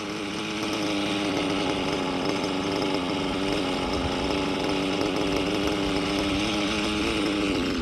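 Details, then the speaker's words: STS D21B Dragon nitro engine on Traxxas Top Fuel 33% nitro, just after raising the too-low idle: steady high buzzing idle holding even pitch, no stumbling or dying; normal idle. "There we go. All right, that sounds a little bit better."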